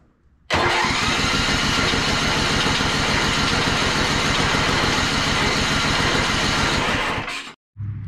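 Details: Mud mower small engine after a swap to a Mikuni slide carb with the governor arm removed: loud, buzzy, fast, slightly uneven beat for about seven seconds, then it cuts out abruptly; runs poorly, possibly lean, so the needle clip was then moved richest.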